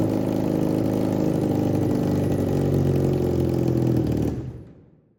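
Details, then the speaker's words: 1987 Honda CBR600F Hurricane four-cylinder, first start after reassembly, dry carbs fed by spray bottle, one float sticking then settling: revs and holds with busy mechanical clatter, slightly uneven but firing on all, then cuts off; normal running. "Okay, so finally got this guy running. Uh, it did take a lot of spray to get the carbs to start pulling fuel."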